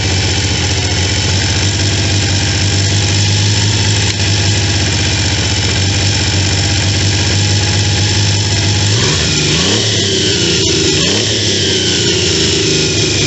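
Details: Triumph T150V triple after heads and cylinders were removed to fix oil leaks, started on second kick (first kicked back); smooth even idle hum, then pitch climbs and falls cleanly with a throttle blip; normal idle and revving.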